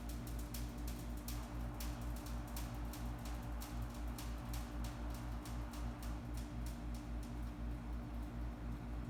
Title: HVAC Crackling Sound